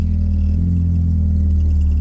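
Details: 1984 Dodge Omni GLH on a road test after fuel-system work for lean knock: steady low engine drone pulling evenly under acceleration, no rattle or tinny knock; pinging appears cured.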